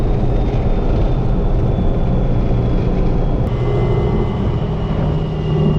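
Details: First-gen Cummins diesel truck with a transmission inspected after over a year of extreme abuse, under hard acceleration. A deep, strong roar pulls evenly with no misses, knocks or rattles. Transmission never broke 140; healthy engine working hard.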